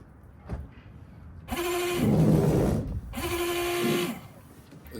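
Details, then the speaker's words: BMW washer pump: two short bursts of buzzing motor hum with a strained, rough edge; pump motor judged faulty and needs replacing, everything else fine. "there we have it people that is the corporate that sounds like a 40 motor for the pump so we're going to need to replace that pump after diagnosis and everything everything else is fine it just sounds like the pump is faulty"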